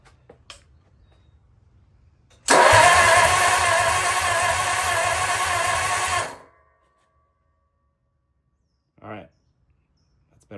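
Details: Lincoln V12 flathead cranks steadily for about four seconds without firing. It has spark, but compression is low, reading about 50–60. An engine-restore additive was poured into the plug holes and left a week, after an earlier dose only helped briefly.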